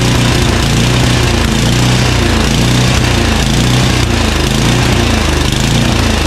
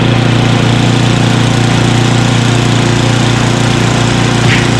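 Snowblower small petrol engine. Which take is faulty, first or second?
first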